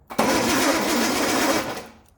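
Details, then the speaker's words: Engine with rebuilt flat-top carbs cranks evenly in a short burst but never catches; no spark because the distributor points arm is shorted to ground, with no continuity when the points are opened; crank no start. "so the problem is we're not getting spark here spark there all right crank spark dies out"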